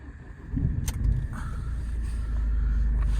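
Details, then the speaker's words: 2008 Ford Fiesta Mk7 Zetec S 1.6 TDCi diesel, 144,000 miles, aftermarket exhaust back box, Cat N front bumper damage: start-up settling into steady even low clatter, no misses or warning lights; normal idle. "So, as you can hear, nice even idle on the car. No warning lights, which is important."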